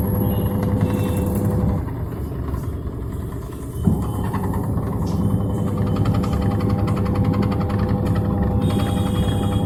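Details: Samsung 6.2 kg top-loading automatic washing machine WA82VAL during spin, heavy low rumble with a rattling shake about four times a second; excessive vibration from worn suspension rods/shock absorbers.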